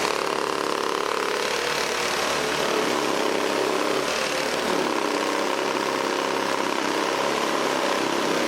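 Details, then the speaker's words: Old 1980s Toro S-200/S-620-type two-stroke snowblower, leaned back while running: steady, even buzz with no misfires or surging; normal running. "well let's start it up again and I'm going to lean it back"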